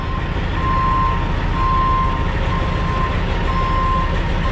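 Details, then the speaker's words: Farm truck backing up: steady high beeps about once a second over a rumbling diesel, the reversing alarm working normally. "If he ever backs up. He will back up. Oh, there we go. We do have beepers on every truck."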